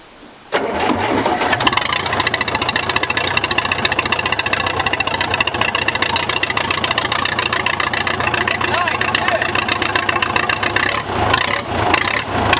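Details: Case dozer diesel, cranked while lowering the boom/bucket to ease load: engine grinds over slowly, then catches and settles into a loud, rattly idle with no muffler; motor sounds good.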